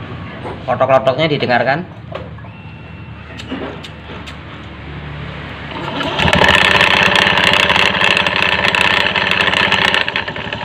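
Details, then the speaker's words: Honda Beat FI automatic scooter CVT belt area: loose klotok clattering knock at idle that goes away from mid rpm up, then rough loud running as throttle opens; front pulley set or rear clutch package suspected. "ada juga yang titik langsam sudah bunyi langsung dibunyi klotok-klotok Tapi nanti kalau RPM Tengah ke atas itu enggak bunyi ya ini kira-kira poinnya diperiksa hampir mirip"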